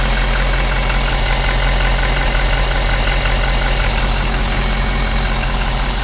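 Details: Ford 6.7 diesel F-350 idling cold after the fuel system was bled during home maintenance, left to warm about 10 minutes before an oil change. Loud, steady, even diesel clatter with no misses or hunting; normal idle.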